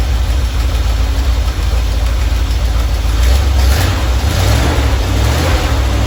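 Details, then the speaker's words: Normal idle from either the 1977 Ramcharger 440 or the 1968 D-100 318 being revived: an even V8 burble with no ticks, knocks or stumbles. It runs at about 800 rpm with timing about 3° ATDC, warming toward 185°F operating temperature. "all right just listen to that beasty Idol about three degrees after top dead center so we're not at zero or before top down dead center where we should probably be 800 RPM"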